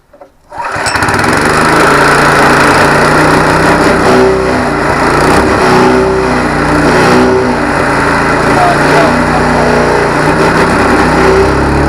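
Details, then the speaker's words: ATV flail mower with an unbalanced flail shaft, running under engagement: an uneven clattering rattle about three knocks a second over the engine. It was first mistaken for a failed bearing, but it was bolts too short to grip their locking threads that had shaken loose. "Right, that wasn't the bearing, that was these bolts had come loose. They weren't quite long enough to grip the thread at the locking thing at the back."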